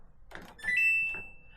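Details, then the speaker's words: Samsung DV350AEW dryer shows drying with power on but drum doesn't rotate and spins freely by hand; short start chirp then near silence, no motor hum or tumble; broken drive belt. "It says drying and nothing is happening inside. I don't hear the motor, and I think I know what the issue is."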